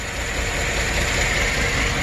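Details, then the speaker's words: GM V8 truck at idle: uneven, choppy running with one cylinder not pulling. The cylinder 3 intake rocker is not moving because the lifter has collapsed, causing the misfire. The camshaft lobe may also be damaged. "that's the source of the misfire and that's the collapse lifter"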